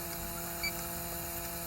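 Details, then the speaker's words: Vehicle A/C that came in with no refrigerant: electronic leak detector (DeTech Stratus) at the dash vent hums and chirps after a brief blower pulse with ignition on, engine off; possible small evaporator leak behind dash, unconfirmed. "that's what we're looking for so it appears there's a possibly a small leak behind the evaporator this did come in with no refrigerant in it"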